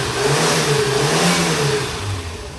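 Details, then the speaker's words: Bus engine with electronic ignition, heater core renewed, AC switched on: the engine holds a smooth, even rev with the compressor engaged, no bogging, which it did before, then eases back down cleanly; normal rev with AC compressor engaged. "kıyma devreye girdiği zaman zorlanmıyor önceden hiç simülatör orjinal ismi otobüsü zorluyordu"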